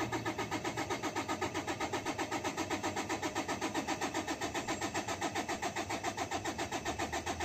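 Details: 2013 Toyota Hilux 3.0 diesel, fuel gauge below half: steady starter cranking at about four beats a second and it never fires. Fuel rail pressure stays unchanged while cranking, so no fuel pressure is built.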